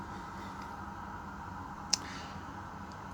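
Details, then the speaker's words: Kenwood TS930SAT HF transceiver in AM mode: one crisp relay click over a faint hum as bands are switched, with different relays clicking on different bands; normal relay clicking. "And now, in these you'll hear, when you go between the bands, you can hear that relay clicking, and as you change bands, you'll see that it does just that. Different relays are clicking in different bands, etc."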